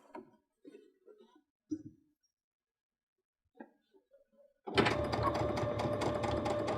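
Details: Baby Lock Unity 22 sewing pintucks with a pintuck foot and 3 mm twin needle, restarted after a caught cord caused thumping; handling taps, then quick, steady stitch rhythm without thumps; normal sewing.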